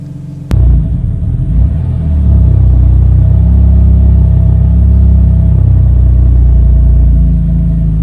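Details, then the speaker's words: 2015 BMW F80 M3 cold start on a cool day: engine stumbles near dying then revs up, rough idle with lean check-engine code; aftermarket AFE intake suspected, replaced with VRSF intake, which cured it. "it goes close to dying and then it just revs up you know and the check engine light i had was for the car running too lean"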